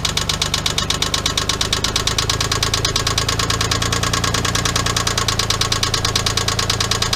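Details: 1997 Geo Metro 1.0L at idle: a sharp, quick metallic knock in time with the engine. It is a spun connecting rod bearing caused by running low after an oil leak.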